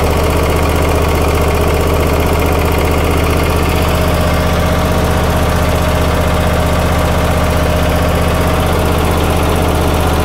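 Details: Troy-Bilt zero-turn mower after a service: steady, even small-engine idle with a constant low drone and no misses, knocks or surging; runs clean and healthy.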